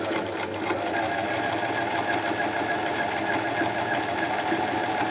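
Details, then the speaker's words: Astralux M10 sewing machine after repair (owner reported it hummed but the mechanism wouldn't move; was stiff): quick, even mechanical ticking about three stitches a second over motor hum, needle correctly installed, sewing normally on straight seam. "Ну все машина работает сейчас она у меня постоит я еще погоняю пару раз лучше три раза"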